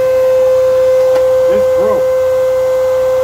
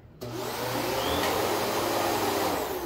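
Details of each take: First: Old Kenmore vacuum, brush roll bound up with hair and not turning: steady high motor whine at one pitch, then winding down at switch-off; jammed brush roll. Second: New Kenmore vacuum running on low, likely moving to medium, on carpet: steady even suction roar with smooth airy whoosh, no rattles or pitch wobble, better airflow than the old one; normal running.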